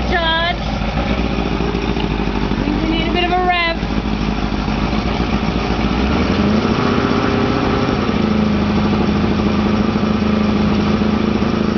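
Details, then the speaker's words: 1983 Mercury 50 hp Blue Band Thunderbolt Ignition outboard after starter motor rebuild, started with the old starter on its own battery: uneven, slightly lumpy idle after a couple of blips; rough running, cause not confirmed. "not perfect but there you"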